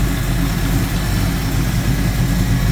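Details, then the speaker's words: 1972 Ford Mustang Mach 1 under restoration, V8 just started: deep, steady, even idle rumble with no ticking or knocking, lots of oil pressure; healthy normal idle. "That's what it's all about right there. That thing runs good, man. I for $1,000 motor, I couldn't be any happier."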